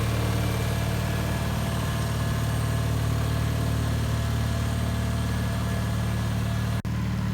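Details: 1974 Bolens HT20 garden tractor on test run after replacing a coil burned out when the ignition was left on after a stall (fuel issue suspected): steady even low thrum at constant speed, no stumbles or knocks; running smoothly.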